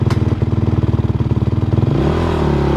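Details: 2009 450X street-legal dirt bike with supermoto wheels, road gearing and aftermarket exhaust: steady, even single-cylinder thumping at about four firings a second, then a smooth rev-up. Normal idle, running clean with no knocks.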